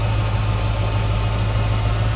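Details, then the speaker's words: 2006 Chrysler 300 SRT8 V8 after an intake manifold gasket replacement; a suspected intake leak had caused cold-start vibration. Deep, even idle, steady in pitch with no misses or vibration. Normal, smooth running. "Man, listen to that thing just purr. It runs so smooth."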